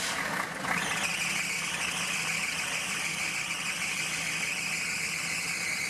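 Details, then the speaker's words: Zombie Suburban diesel with newly fitted turbo, first start-up after glow plugs: loud, steady high-pitched scream over a faint idle, pitch holding even; owner suspects loose fan belts needing tightening, not the alternator; belt squeal. "oh well I need to tighten some fan belts or something it's not like the alternator built it's just screaming"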